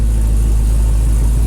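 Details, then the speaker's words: 1968 Dodge Charger with Hellcat V8 swap, first start after rewiring harness and modules: deep, steady idle with even beat, no misses or knocks, revs on throttle; clearing unburnt fuel, runs clean and healthy. "All right, so as you can see, I was super excited and happy, and I still am, that we finally have this thing running to the point where it's able to start, it sounds healthy, and you're actually able to hit the accelerator and the engine revs."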